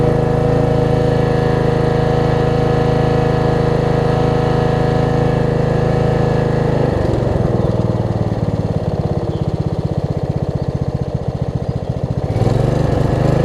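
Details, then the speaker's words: Snapper RER rear-engine rider after a replacement cylinder head and brand-new carburetor: small engine runs with a steady, even low thrum, then speed changes and firing loosens near seven seconds; normal running. "So, runs good. I don't know what else to say, except let's start it up. And electric start works great as well."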